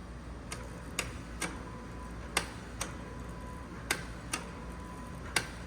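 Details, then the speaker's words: 1966 Ford F100 body on 2010 Crown Victoria chassis, engine off, ignition on: crisp clicks about one or two a second as the drive-by-wire electronic throttle body opens and closes; normal actuation. "this is throttled by wire so I should be able to move this and hear the starter motor or hear the yeah see you can hear the throttle body"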